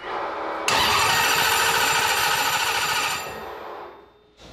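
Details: Starter clinks in sharply, engine catches, revs busily for a few seconds then settles; normal healthy start.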